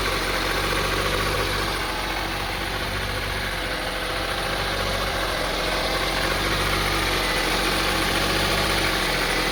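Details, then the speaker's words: 2002 Honda CR-V 2.4L at warm idle: rough, unstable idle with rpm rising and falling slightly, starting a few seconds after startup; suspected throttle body, spark plugs or too much engine oil causing misfire; a cracked air hose (air leak) was found but fixing it didn't cure it. "as you see the on idling very rough idling so we tried to figure out what's cause this it could be the throttle body or the spark blogs or maybe too much engine oil"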